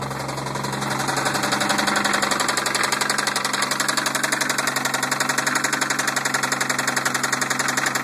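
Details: 1990 Toyota Supra turbo, 5-speed, idling with a steady, even knock of about three beats a second and no other noise.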